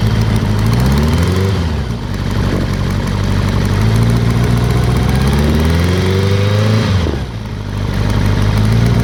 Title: Ticking noise, ZR 7S